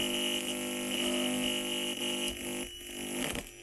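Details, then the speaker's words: Home-built 3D-printed solar AM radio (ZN414-type receiver IC, LM386 audio amplifier) on a lab power supply: a constant raspy buzz with a steady whistle and fluttering pulse, like a small guitar amp; gain far too high, so gain limiting will likely be needed. "yeah there's a lot of gain there right so you can hear the buzzing sounds like a small guitar amplifier yeah there's an awful lot of game going on there"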